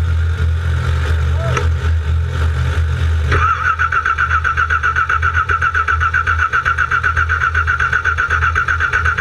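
Starter whirs briefly, then a steady rapid cranking rhythm near four beats a second carries on without the engine ever catching.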